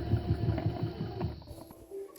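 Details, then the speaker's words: Singer sewing machine with the foot pedal barely pressed, not enough for the gears to engage; the motor gives a low pulsing hum that fades while the needle doesn't move. "But it's not actually moving. I just am barely putting any pressure on the foot pedal."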